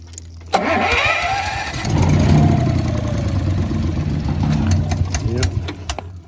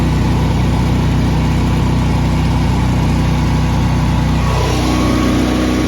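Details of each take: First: Honda EB11000 generator on 20 lb propane tank in cold weather, primed and fuel valve opened slowly; starter grinds, engine stumbles and coughs then quits; owner suspects excess-flow valve tripping or low tank pressure. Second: Honda EB11000 generator running on propane from 20 lb tank, governed to 240 V, 34 A water-heater load applied: steady, even drone barely changing pitch under load; normal running before it later cut out.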